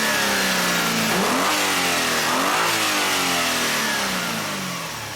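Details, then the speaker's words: 2004 Hyundai Sonata 2.7 L with code P0335 and hesitation under acceleration, rpm raised during crankshaft and camshaft waveform check: clean rev climbing and falling smoothly with no stumble or misfire, crank waveform now consistent without glitches; normal revving. "so now i'm going to increase the engine rpm"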